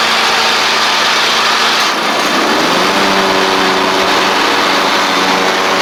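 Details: Ferris stand-on mower, Briggs OHV twin, ridden down the driveway after repair: loose intake pushrod guide bolt had thrown the pushrod causing a one-cylinder misfire, pushrod unbent and refitted, valve gaps fine; even, steady note with brief dip pulling away, no misses or knocks.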